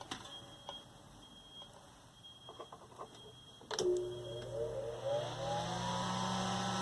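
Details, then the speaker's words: 1960s Eskimo desk fan model 081005, 50+ years old, final test after reassembly and harmonic bounce correction, before switch fitted: clicks, motor hum rises smoothly to steady, loud but even run; moves fair air, motor in good shape. "And there it is. It's loud, but it puts out a fair amount of air."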